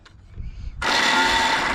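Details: Snapper riding mower left outside all year, jump-started via battery pack to the starter: harsh high whirring grind as the starter spins but the engine never catches; starter gear found broken, half missing.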